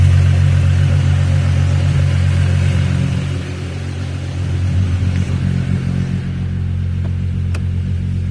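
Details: 1998 Mk3 Jetta with no crank on key, no warning or backup lights, started by jumping the starter solenoid: engine catches and settles to a steady low idle; no tach or fuel gauge, starts in gear; owner suspects burnt wires or fuse box.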